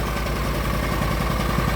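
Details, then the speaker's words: Argo ATV running with a new carburetor, fresh oil change and new fuel pump, air cleaner not yet refitted: short steady idle putter with even firing pulses and no misses or knocks. Normal idle. "uh, it's running. New carburetor, fresh oil change, new fuel pump. I'm ready to go."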